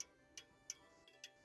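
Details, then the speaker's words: French antique table clock being adjusted by shifting the movement, heard through a funnel: faint ticks uneven, a long gap then a shorter one, about three a second; out of beat before the movement is repositioned. "so I use a funnel to hear it better this doesn't sound good"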